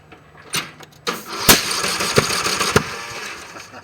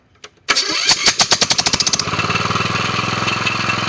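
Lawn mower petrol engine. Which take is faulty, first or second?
first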